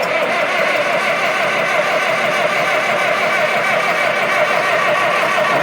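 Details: CAT D4D bulldozer with freshly rebuilt diesel, first start attempt: steady starter churn with uneven beats that never catch; won't fire because air is trapped in the injector lines, bled by loosening and tightening the fittings.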